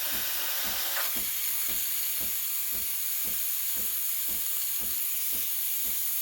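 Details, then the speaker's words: Breville Barista Express BES870 steam wand at full pressure: steady loud hiss with faint regular ticking underneath, holding even; normal steam wand operation. "you can hear it right here you know you're aerating me if you hear the hissing noise"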